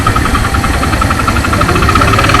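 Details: Suzuki Thunder 125 owned over 11 years: rapid, regular metallic knock from inside the engine over a loud single-cylinder idle, heard mainly when closing the throttle; knocking on deceleration, engine teardown planned, cause undetermined.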